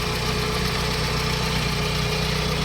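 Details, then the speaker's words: Mitsubishi 4G63 petrol engine after repair, at idle with AC on and compressor just cut out, engine not yet hot: very steady, smooth idle with an even beat and no misses or knocks; two fans run when AC is on. "เปิดแอร์รอบนิ่งมากเวลาเปิดแอร์พัดลมจะทำงาน2ตัวอันนี้คอมแอร์ตัดไปแล้วนะครับ"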